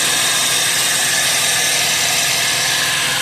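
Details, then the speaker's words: Chevy Traverse at idle after repairing the loud exhaust noise caused by broken-off exhaust brackets and a hole, by welding and re-clamping: smooth, steady soft hiss, no rattle or leak puffing. "This is where I welded. Which everything looks good and the sound is awesome."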